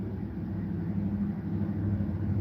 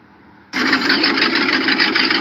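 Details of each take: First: Carbureted V8 in a dump truck with cylinder 2 and 7 spark plug wires swapped: rough, uneven idle, then a sudden loud sputtering backfire through the carburetor, spitting fuel, as the throttle opens. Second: V8 in a dump truck after correcting swapped cylinder 2 and 7 spark plug wires and timing: steady, even roar with no misfire; normal running.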